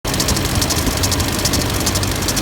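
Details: LMM Duramax diesel idling with rapid, even ticking about seven to eight a second, like a bearing; after replacing every pulley and the A/C clutch, the serpentine belt was the cause.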